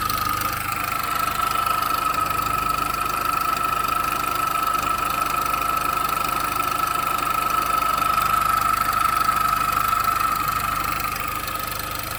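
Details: After engine mount replacement, engine still noisy while running: constant high whistle near one kilohertz with rapid light ticking about three per second; source undetermined.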